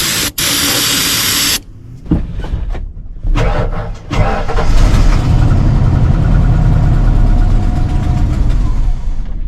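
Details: Ford truck (6.0 diesel or 460 gas, parked, "ran when parked"), dirty contaminated fuel tank: starting-fluid spray hiss, choppy cranking stumbling into rough shaky run that won't stay running; fuel starvation suspected, spark not yet checked.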